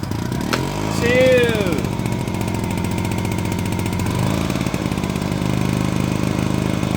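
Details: Honda EX350 generator, first start after about 5 years of sitting, with some fuel added: a pull or two, it catches, then settles into a steady, even hum with no misses or surging. Normal running.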